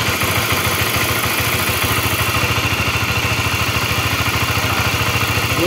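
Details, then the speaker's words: Honda CB-series motorcycle engine (CBX/CBR/New CB) idling with a rough, rhythmic clatter of three to four knocks a second, from a worn cam chain tensioner (lifter); a screwdriver on the adjuster turns on its own. "Oke berarti ini gejalanya si litter ac-nya udah mulai ee kurang bagus gitu ini untuk yang suaranya kasar"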